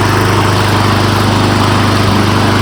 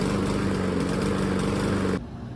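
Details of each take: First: Honda lawn mower after spark plug replacement, plug torqued to 14 lb-ft: small engine idles smoothly and evenly, then is shut off and winds down; the earlier inconsistent idle was fixed, air filter checked clean. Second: Honda lawn mower engine idling with a slightly uneven, wavering beat, a rough idle from a worn spark plug about a year old; air filter clean; fixed by replacing the spark plug.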